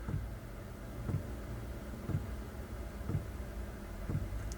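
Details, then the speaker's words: Diesel van heater's dosing pump, fed through a filter from the diesel tank, at its lowest 1 Hz setting with the fan slowed: soft even clock-like tick about once a second over a low hum; normal, quiet. "Vous pouvez entendre quelle est la pompe Mais sincèrement ce n'est pas beaucoup de bruit C'est comme un horloge faisant"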